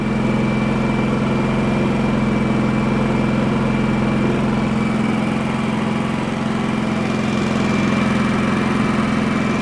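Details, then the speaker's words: Champion 4500 W dual-fuel inverter generator, previously non-running, covers off, eco mode, no load (60 Hz, 0 A, 122 V): smooth even low idle hum, no misses or surging; runs really nice, normal idle. "Seems to run really nice."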